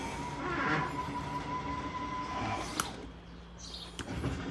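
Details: 2019 Jayco Jay Flight 38BHDS travel trailer, rear master-bedroom slide-out run by its button: a steady electric motor whir, then sharp clicks from the clutch when the slide reaches full travel, working normally.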